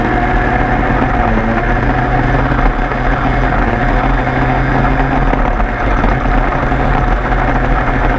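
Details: 103 moped two-stroke after leak fix, plug found very rich: busy even idle with steady crackling buzz, no hunting or misses; runs normally.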